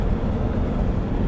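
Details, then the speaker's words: 2001 Nissan Patrol 3.0 turbodiesel, manual, road test after turbo rebuild and balancing, burnt exhaust manifold gasket found and manifold ground flat: steady low diesel drone under road noise, good pull, no turbo whistle or hiss; normal running. "Да, чувствуется такая вот мощь. Ну что сказать, тяга хорошая, свиста нету,"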